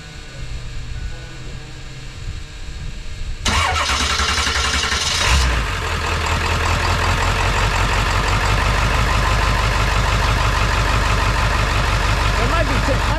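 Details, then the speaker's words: 7.3 Powerstroke diesel idling with a known misfire on cylinder 5, which shows high resistance; the suspected cause is the under-valve-cover harness, possibly the injector. It cranks, catches and settles to a rough, lumpy idle with slight shake and a loud fuel pump. "I thought since we got a known good example uh of a misfire, I thought I'd crank it up and show y'all what one might sound like."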